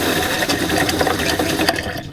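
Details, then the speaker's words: RV fresh water pump before fitting a Shurflo accumulator tank; rapid buzzing chatter in short bursts that fade; pump short-cycling, causing uneven water flow. "so that's something rather annoying that we've been dealing with is how the water pump will will cycle on and"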